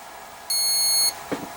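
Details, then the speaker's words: Komet foam RC plane speed controller, bound and on a 4S battery, giving four beeps at plug-in: one sustained high-pitched beep in a quiet room, part of a warning code. The motor never spins and there is no throttle response; throttle cutoff is set on a switch. "Oh, you can hear it. But no response from throttle. I do have throttle cutoff on this switch. And I'm getting these tones from the speed control, but no response."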